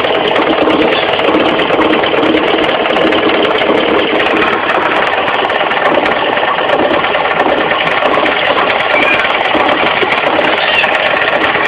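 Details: Mitsubishi 4G15 carburetted engine running steadily with a fast, even knocking clatter and no lull, from the crankshaft pulley area down low: a loose crankshaft pulley, fixed by tightening it rather than replacing it.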